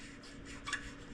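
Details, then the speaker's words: 1976 Schwinn Speedster bicycle, 3-speed shifter with metal wheel: soft dry rubbing as the part turns with a brief high chirp; dry, ungreased part squeaking, needs grease. "Yeah, you can hear it squeaking around a little. This whole thing needs a little love."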